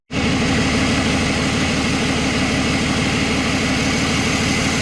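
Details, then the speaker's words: BMW 525d E39 M57 diesel after turbo geometry lever repair for low boost pressure: steady even idle, smooth rush and faint whistle over clatter, no hunting; turbo charging strongly, intercooler working even at standstill. "Là ça charge fort, mais vraiment fort. Le tuyau là il est déjà chaud."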